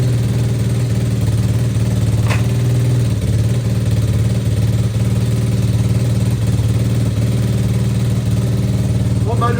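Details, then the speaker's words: Apollo RFZ single-cylinder pit bike, carb not yet tuned: steady idle with a loud, rapid raspy exhaust pulse; engine sounds clean, racket comes from the leaking stock silencer. "Ce que t'entends bah, c'est la cartouche, hein. Ça fait des bruits de merde."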